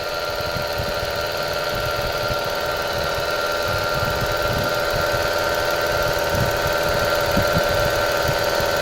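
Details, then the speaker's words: Mitsubishi Mirage with 26,000 km, engine suddenly got noisy while driving; at idle a steady whining hum on top, traced to a rough alternator bearing, then the belt is removed to hand-spin it. "malakas alternator alternator daw sabi ng kasama ko malakas"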